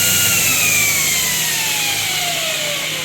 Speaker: I'll shut it down here so you can hear me so yeah it's running great it's running smooth so